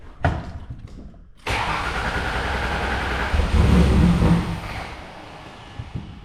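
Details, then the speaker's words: 2005 Ford Taurus wagon derby car smelling of gasoline and puffing smoke: starter cranks steadily at about four turns a second but engine never catches; owner concludes the fuel pump is dead. "Yep, so Fuel pump is dead."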